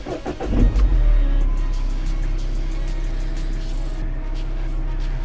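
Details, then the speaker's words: Mini Cooper after full service with about 4.2 litres of oil, started to fill the oil filter and check for leaks: cranks, catches quickly, settles into a smooth steady low idle with no knocks or misses, quieter than before; normal start. "Sounds sweet. Sounds quieter than before, to be fair."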